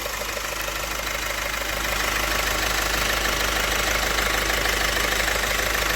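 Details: Opel 1.6 CDTI 136 hp diesel, 67,000 km, car raised: steady idle with even metallic rattle about three beats a second over diesel clatter; worn timing chain and damaged sprocket teeth found.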